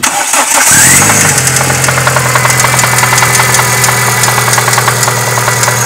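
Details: Renault F4R engine catches and settles to idle with a sharp steady ticking knock throughout; owner hears a valve and something like a connecting rod bearing.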